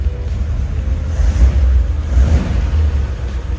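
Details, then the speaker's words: 1941 Ford truck flathead V8, just started after about six years sitting, no choke used, clutch seized and one rear wheel raised. Deep, even burble that picks up instantly on throttle blips and drops back cleanly: running healthy. "I'm impressed with this flathead Ford V8 it runs better than that old 68 Ford sitting out there responsive I'll tell you what you blip the throttle and it's right there"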